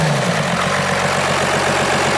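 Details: 1989 Dodge W250 first-gen Cummins diesel, 4x4, 5-speed, just started: steady, even diesel clatter at idle with a regular low pulse and no misses or knocks; healthy idling Cummins.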